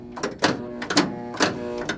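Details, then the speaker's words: 1976 Williams Aztec electromechanical pinball machine: sharp flipper clacks every half second, each followed by a hold buzz of changing loudness because the flipper linkages are a little worn. "Those are the flippers. If you're hearing a buzzing, that means I'm holding the flipper up. But that buzzing is not always the same volume. The flipper linkages are a little worn."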